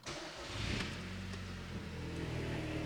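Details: Audi S3 from auction, start-up after brake pads and sensor done, before clearing codes and test drive: quick crank, catches at once and settles into steady, even idle with no knocks or misses; clean dash, healthy start.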